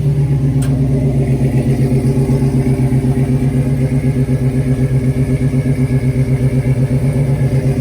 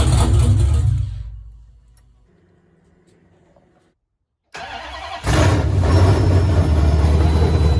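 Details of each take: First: 1970 Dodge Challenger with swapped 5.7 Gen 3 Hemi, Holley Terminator X ECU, long tube headers and Flowmaster mufflers, first start: deep, even burbling V8 idle, about four pulses a second, no misses or knocks; idling on its own with good oil pressure. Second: 1970 Dodge Challenger with swapped Gen 3 5.7 Hemi on Holley Terminator X ECU, long-tube headers, dual Flowmaster mufflers; first start ever: V8 fires, fades, catches, settles into loud lumpy idle. Rough idle or just cam lope, unconfirmed; idle screw may need adjusting, sensor unplugged.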